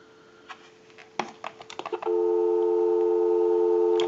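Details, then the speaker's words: Vintage Frog telephone, which dials in rotary pulse mode, moved to a live line to call a time-and-temperature number: a few sharp clicks, then a clean, steady two-note dial tone for about two seconds; line works normally. "Now what we want to do is go ahead and move the line cord over to a line out, and we'll call a time and temp number. Go ahead and give you some dial tone."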